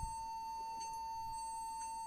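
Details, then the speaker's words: Lenovo B460E laptop at power-on while loading Windows: one unbroken high continuous beep, stuck at black screen; keyboard suspected as not inserted properly or faulty. "Yeah, it's while starting the window, it's continues the beeping sound."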